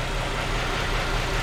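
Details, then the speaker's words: 2008 Chrysler 300 2.7 L, after water pump and timing chain job, cylinder 1 misfire persisting after coil swap: constant airy hiss over rough idle; vacuum leak at intake manifold gasket, to be replaced. "Yeah, I can hear it. It's right here. Y'all probably can hear it, too. Yeah, I can hear that leak. Air leak down in there."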